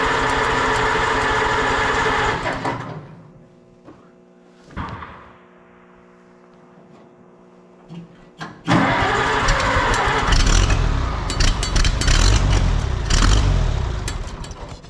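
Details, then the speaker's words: Cold Oliver 77 tractor in winter after points were filed, cranking then catching roughly, surging and fading away; hard starting, owner suspects not enough fuel, possibly frozen fuel, and earlier thought it flooded. "Thinking that's a fuel thing. I might have to give this up for today, I don't know."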